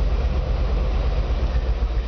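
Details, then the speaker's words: 1999 GMC C7500 forestry bucket truck engine just started from the cab, PTO disengaged, strong oil pressure; deep, even low rumble with steady pulse, no knocks or misses; normal idle. "folks, as you can see there, she fires right up."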